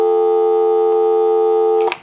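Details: Verizon single-slot payphone on final checkout after repair and conversion, heard through an amplified pickup; clean steady dial tone with no crackle or dropouts, ending in a couple of switch clicks, line working properly.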